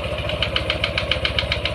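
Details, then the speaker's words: Yamaha NMAX 155 scooter at idle; sharp even metallic knock about seven a second from the CVT area, like a loose bolt or worn bearing, clearest at idle, fades somewhat when riding; cause suspected, not confirmed. "opo ya kayak bagian ada yang kayak baut kendor mungkin ya tapi ikut muter tu ini dibuat Jalan suaranya tetap sama seperti"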